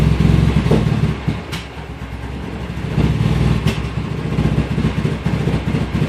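Low engine idle with an uneven, lumpy beat and the revs wandering up and down, a rough idle with no clear cause.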